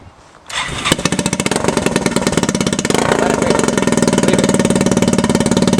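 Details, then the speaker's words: Timberwolf 250S with a homemade exhaust starts quickly and settles into a quick, sharp puffing idle, about four pulses a second, loud and raw; a leak at the start of the exhaust makes it sound raspy with the tip fitted. "I can hear it, I can feel it puffing from here. Alright, so it sounds pretty good."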